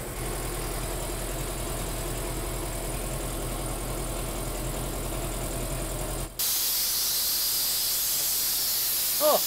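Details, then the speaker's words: New Polar Air Industrial Plus 7.5 HP compressor (Eaton), 120-gallon tank, first run: steady pumping drone cuts off abruptly into loud sustained hiss, normal unloader blowoff at cut-out, owner thinks around 140 PSI. "That's building pressure quick. Oh, that's terribly loud."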